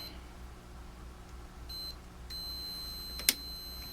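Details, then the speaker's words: 1947 Chevrolet car radio on a bench power supply after capacitor replacement and power lead repair: brief high beep, then steady shrill alarm tone with two sharp pops; short circuit, suspected from a shifted insulator. "get on the power lead okay that's not a good sign what is shorted where"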